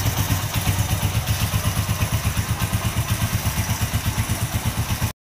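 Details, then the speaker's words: Honda Win Detech 110 four-stroke motorcycle after one year of hard use, idling with light clatter on each beat; cam chain noise after long running, owner plans to replace cam chain. "Máy đang nổ galanti nè nhưng mà bạn nghe là nó có cái tiếng là nó kêu sên cam đó thì chạy lâu là là nó kêu thôi"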